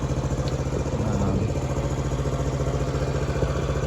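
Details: 1979 Honda CT90 Trail 90 after the carburetor slide was switched out: small single putters at a quick, fairly even idle with no misfire or rattle; sounds healthy and settled.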